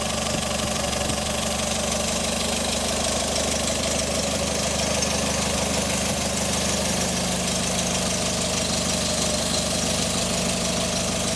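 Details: First start of a fully rebuilt, prepared Renault type 668 (Colorale/Frégate) engine, 80 hp DIN, for the Paris–Peking rally: it catches and settles into a steady, even idle with a busy mechanical clatter but no distinct knock.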